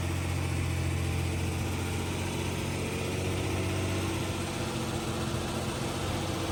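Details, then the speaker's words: Jeep Cherokee idling after hidden shorting wiring was repaired (computer tested good); even, steady low idle pulse about four beats a second, no skips, the earlier bad misfire from a malfunctioning fuel injector gone, residual white smoke burning off. "It's idling right now. Yeah. Doesn't have that crazy misfire."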